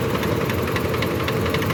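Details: Suzuki Wagon R (2015/2017) idling: an uneven, lumpy beat with faint ticking, a cylinder misfire. The car also trips and hesitates when driving, and was checked with a scanner for codes.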